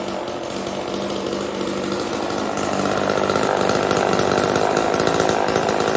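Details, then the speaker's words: Old Homelite chainsaw, owner guesses 1960s or 70s, cutting wood after reassembly: two-stroke buzzes steadily, climbing a little as the chain bites, pulling cleanly without bogging; runs fine, owner says it could be tuned better. "I know it was kind of short, and yes, I could probably get that running a little bit better, and I probably will mess with it. But for right now, that's as good as it's gonna get."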